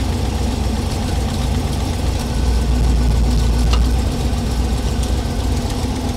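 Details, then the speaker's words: Small-block Chevy V8 in a 1932 Ford Coupe at a rough idle during running valve adjustment: a light, fast lash clatter that fades as each rocker is tightened. Little turning made it clatter, so it was at the edge of tight enough. "So see how little bit I'm turning to make him clatter? That means he was right at the ragged edge of being tight enough."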